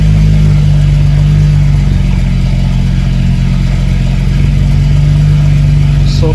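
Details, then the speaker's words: BMW 335is after swap to a replacement N54 engine, cold start on fresh fuel with scan tool connected: loud, steady, deep cold-start idle with no misfire stumble or ticking; no codes, normal cold-start loudness. "so good no colds just uh cold start loudness"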